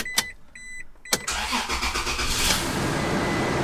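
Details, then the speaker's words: Toyota Tacoma, first start on a lift after installing a new passenger-side exhaust manifold with fresh hardware and uncured sealant. Fast cold idle with a light, quick puffing tick: slight exhaust manifold leak on the driver's side. "Oh yeah, listen to that. Slight manifold leak on the driver's side as well."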